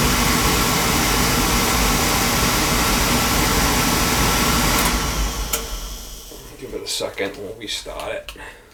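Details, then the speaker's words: Beckett oil burner with intermittent delayed ignition and smoke, pump at 140 pressure, good flow, filter fine, old electrodes; steady even roar without puffing or rumble, then cuts out to clicks; burner firing normally, pump possibly starting to let go. "she firing up nice cuz what causes the spark is this Transformer and it sends Spark down these electrodes to fire it"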